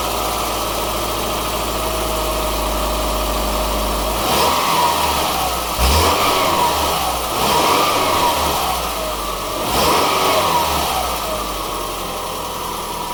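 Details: Subaru Forester 2.5 XT automatic clunks each time the selector goes park to reverse and back, dull thud over steady idle; dealer diagnosed a bad CV axle, and the sound was gone after CV axle replacement.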